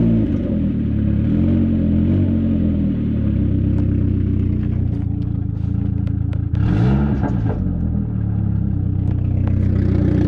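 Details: Saab 9000 petrol engine with an exhaust leak: coarse, tractor-like chuff and clatter at idle and on a quick rev.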